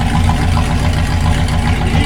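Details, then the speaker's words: 1972 Corvette C3 V8 with rusted rear silencers removed before replacement: deep, loud, even idle with strong throbbing pulse and raw exhaust bark. "今日のコルベットは少しうるさいので、マイクに近づいて理解できるようにする必要があります。なぜこのようになっているのか、背景は何かをお見せします。後部サイレンサーはここコルベットにありません。"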